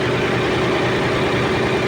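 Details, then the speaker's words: Ship generator diesel engine at 1,150 rpm with coupled air compressor, previously noisy, now running: even, steady drone with compressor loaded, no knocking from the coupling; noise gone, normal running. "umiikot-ikot na at nakaandar na siya at wala na yung maiingay na tunog"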